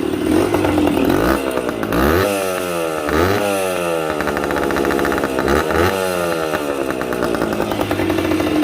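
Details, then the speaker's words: Yamaha 125 enduro two-stroke on its first start after revival, with a fresh spark plug, fresh gas and a little choke. Crisp blips rise and fall cleanly, then settle to a steady ringing idle; normal revving and idle. "It's alive. Amazing what a little fresh gas and fresh spark plug can do. Ain't nothing sounds like a two-stroke neither."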